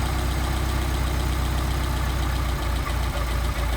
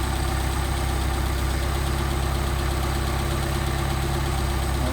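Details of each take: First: Rebuilt Solex carburetors idling at about 700-800 rpm during idle mixture screw adjustment: steady idle turns uneven with dips as the mixture screw goes too far, a lean mixture, then picks up when backed out. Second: Engine after rebuilt Solex carburetor, idle mixture being set by tachometer around 700-800 rpm: steady, even petrol idle with a low regular pulse, no misses or knocks, rpm picking up at the best mixture setting.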